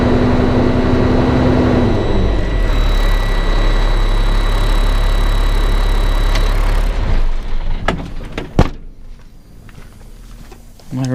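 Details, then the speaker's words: Caterpillar C7 diesel idling after bad turbo replaced (earlier smoking and cutting out), no leaks seen, new air filter still needed; steady low diesel rumble with even firing before it drops off, no whistles; sounds good, runs fine. "yeah everything seems to be uh you doing good sounds good Run's"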